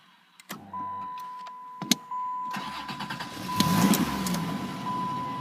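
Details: Chrysler New Yorker: starter whirs and engine turns over with uneven puffs but never catches; crank no start, cause not yet found.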